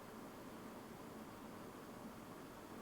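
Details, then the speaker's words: Fractal Design Mood Mini-ITX PC under stress load, dust filter in place, CPU 90°C, GPU 79°C: soft even airflow hiss, no clicking or whine; normal fan noise. "A quick back to back, this is with the filter,"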